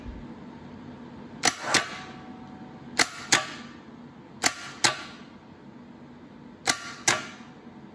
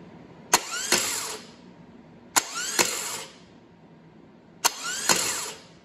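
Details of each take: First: Air-cooled VW starter from parts stash bench-tested on a 12 V battery: solenoid clacks followed by short weak whirr that doesn't wind up like the known-good starter, though improving; weak starter. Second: Known-good aircooled VW starter bench-tested on 12 volts in an engine stand bell housing, no engine fitted: sharp clack as the pinion throws out, quick rising whir, clean spin-down; healthy, normal starter engagement.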